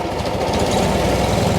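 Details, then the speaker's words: Cub Cadet 1872 started with a little choke after rear-end mount and hydraulic line repairs: steady low single-cylinder chug at an even idle with no misses or knocking; idles nicely since it was cleaned up. "Look at that. This actually idles kind of nice when it's cleaned up."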